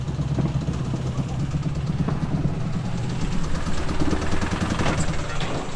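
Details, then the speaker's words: Brand-new supercharged 6.4 L Hemi swapped into a Jeep Gladiator: loud, rough, harsh uneven running before shutdown; crew suspects a failed bearing, with the pistons also questioned; abnormal engine noise, cause not confirmed. "these faces I know I'm not a mechanic but that sounds like a bearing mode"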